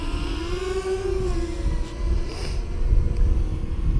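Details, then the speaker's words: Walkera Rodeo 150 micro FPV racing quadcopter (FCC model, TX5832) flying in stabilized mode: soft, even motor hum that lifts slightly then settles, with no whine or roughness. Normal smooth hover, noted as very quiet for its class. "taking on a little fly round yeah again you know despite actually being in flight now it's still very very quiet"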